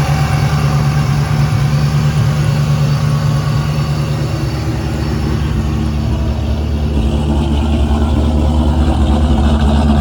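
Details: A 2001 Mustang Bullitt V8, started in winter on a big battery charger after a dead battery, holds a deep, steady burble at idle with no revving, even firing and no ticks or knocks; runs healthy.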